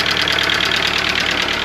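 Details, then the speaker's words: Audi A2 1.4 petrol engine (AUA), bought with engine damage, idles with a loud, fast, even metallic clatter; previous owner blames hydraulic lifters, owner hopes so but fears piston slap; lifters and timing belt to be replaced. "Ich sitze gerade drin. Der Motor klappert ohne Ende. Ich habe den ja quasi mit Motorschaden gekauft. Der Vorbesitzer meint, dass es die Hydrostößel sind."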